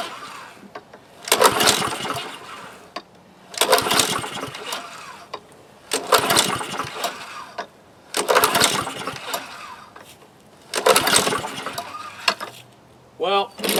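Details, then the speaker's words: Husqvarna HU800AWD lawnmower, Honda GCV190, automatic choke, fuel and oil present, valve open: repeated pulls every two seconds, brief rattling spin, no firing; hard starting, clogged carburetor suspected before teardown. "pulls on but I think it might be time time to uh take down the uh carburetor and peer in there make sure everything is happy inside there"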